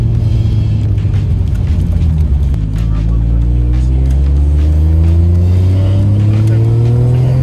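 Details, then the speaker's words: Toyota Chaser with a newly rebuilt 1JZ turbo engine that previously made no boost, boost controller removed: the engine pulls smoothly, with a rising tone under boost and a loud wastegate rush, making about 10 psi; boost is normal. "wow it's loud the wastegate's loud the gloss doesn't seem that loud he'll be happy with that yeah that sounds good feels good"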